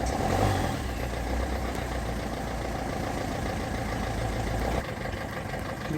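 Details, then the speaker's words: Ford Figo diesel with the accelerator pushed to maximum then idling: an uneven, stumbling, loping misfire with the powertrain warning light blinking; codes for MAF, intake air temperature, fuel rail pressure sensor range, and cylinder 2 injector circuit open/short. "see there is a misfiring as well as our transmission control mode is blinking as well"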